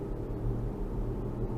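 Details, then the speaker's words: AWD 2005 Infiniti FX35 after replacing the front propeller driveshaft: deep droning rumble above about 45–50 mph drowns out the engine, with slight vibration; not fixed by the driveshaft, wheel bearing checked and seemed fine, source unknown. "It's like you can't even hear the engine anymore after you get up to about 45, 50. I guess it could be a wheel bearing, but I did a check on that and it didn't feel like it was the wheel bearing."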